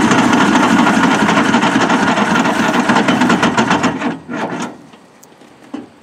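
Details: Detroit-diesel Pettibone Mercury forklift abandoned for years, cranking on a weak jump pack and smoking. Steady rapid cranking chug that never catches; it turns over but won't fire. A clogged fuel filter or air in the fuel is suspected.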